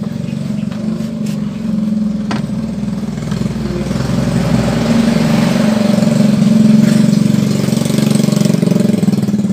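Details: Yamaha Fino scooter after replacing rear wheel axle seal, crankshaft and pulley shaft seals, test-run with exhaust not yet fitted; loud open-pipe idle with quick fairly even popping and steady low drone, no knocks or grinding; runs healthy.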